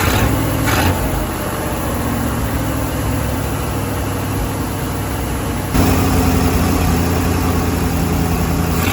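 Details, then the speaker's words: Firetruck V8 checked for heat soak after fixing a gas leak, warm near 190: steady, even, lumpy idle sitting a touch fast; idle slightly high, owner plugs off a vacuum line, no leaks found. "let me see the idle's a little high let's um let's plug this vacuum off"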